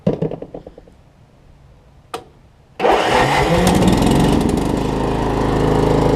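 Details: Troy-Bilt Pony riding mower, unidentified small engine (possibly Loncin), after a loose starter-solenoid nut was tightened and a known-good battery fitted: a few slow cranking chugs, a pause, another crank, then it catches and settles into a steady, even run.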